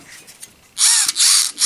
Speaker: you'll hear it buzzing as you rotate it. That buzzing sound is from the internal gears of the motor.